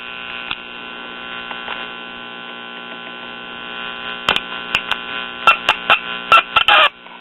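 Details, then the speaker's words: Late-1950s Japanese Londala tube radio: steady high whistle over mains hum, then sharp crackling bursts when the insulated rear apron is touched but not the chassis; touch-sensitive oscillation, loose connection suspected. "now what's weird is i can touch the chassis and nothing happens but i can touch this rear apron here that's insulated from the chassis"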